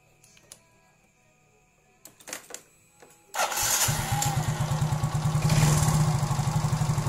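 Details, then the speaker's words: Yamaha injected automatic scooter (Mio J/M3, X-Ride, Soul GT) after setting throttle-body idle plunger, roughly 1–1.5 mm gap; steady even putter with no misses, normal idle. "udah fast enak ya para brader semua seperti itu cara setel atau mengatur di bagian langsam di tipe motor Yamaha Mio J X Ride Mio M3 dan lainnya"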